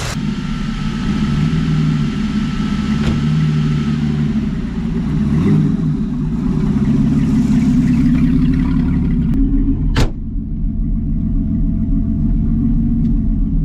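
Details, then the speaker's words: V8 hot rod after a Rochester 2G carburetor rebuild and lowered idle, test drive under load: steady even rumble pulling through the gears with no stumble or hesitation between shifts; running well. "oh yeah man this thing's running like a top man no hesitation between gears super cool"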